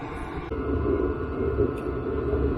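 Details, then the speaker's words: Chinese diesel air heater installed in diesel truck camper build, running at full heat: even low roar with steady mid-pitched fan rush, no knocks or surging; loud but not noticeably loud outside, output air around 200–300°F, exhaust 450°F; normal operation. "not noticeably loud outside but it is you know it is loud it's not quiet it's not Mr Buddy quiet well I guess nothing could be that quiet but dang it's hot out of here"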